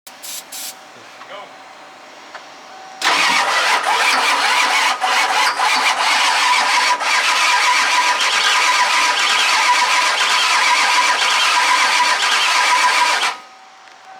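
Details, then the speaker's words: Ford F250 diesel with a new replacement starter and extra battery, after glow plug wait-to-start: starter cranks steadily about four turns a second for ten seconds; engine tries but never catches, cranks with no start. "just close she's trying she's close all right we'll come back"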